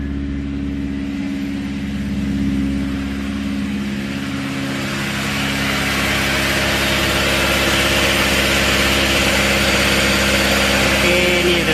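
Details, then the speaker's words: Proton Iswara Aeroback 4G13 carburetor engine, cold, at fast idle with the auto choke now working. Steady, even fast-idle hum with no stumbling; once warm it should drop to the set idle, e.g. 850 rpm. "Okay, sekarang alhamdulillah auto choke dia sudah berfungsi dengan baik. Nanti bila enjin dah panas, dia akan turun sampai kepada idle yang kita telah setkan."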